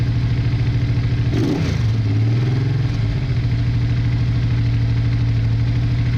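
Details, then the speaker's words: Honda Bros/Hawk GT 650 (late-80s twin), just started after battery trouble, briefly on one cylinder, now running on both while warming up: brief throttle blip, then steady, even lumpy idle. Owner checking for a small coolant leak. "well excellent we are running on two yeah both types of warm"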